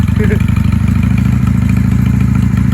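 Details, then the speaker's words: 1995 Honda Shadow 600 VLX VT600CD V-twin after fuel-leak repair: even, loping low thump at idle with no misses, knocks or rattles; normal idle. "But listen to her purr. She sounds amazing."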